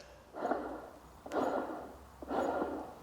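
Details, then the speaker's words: New M112 supercharger for a drift truck, rotors turned by hand: three soft whooshing sweeps about once a second, smooth with no scrape or click; spins freely and sounds healthy. "Spins over nice and freely, sounds very, very healthy."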